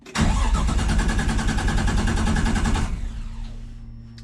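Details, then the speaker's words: Forged 550hp RB25DET in an R33 Skyline cranks evenly for three seconds without firing despite spark and fuel added; the owner suspects the fuel hose inside the tank has been eaten up again, causing fuel starvation. "We've got spark, the engine is turning. I've just chucked in some fuel and still nothing."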